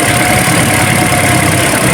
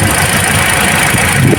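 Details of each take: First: Toyota Altis after replacing the faulty ignition coil (spark plug was fine): a smooth, steady idle with an even beat and no stumbles or shakes. The engine runs evenly on all cylinders, fixed. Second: Toyota Altis shaking and low on power: rough, uneven idle with a lumpy beat and no change when the number one coil is pulled, showing a dead cylinder. The ignition coil is faulty.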